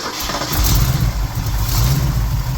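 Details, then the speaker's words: Freshly rebuilt and installed Holley four-barrel carb, first start after priming with the accelerator pump, cranked by remote starter: brief crank, then it catches and runs a strong steady rumble. Started easily; idle speed pretty good, no leaks found. "wow that was easy enough the auto speeds pretty good I'm gonna bump it up a little bit"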